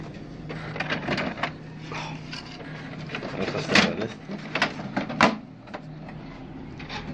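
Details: HP Smart Tank 500 printer after repositioning the displaced plastic encoder strip that caused the head to slam both sides: quiet irregular whirs and soft clicks as carriage travels, no hard knocks; printing normally.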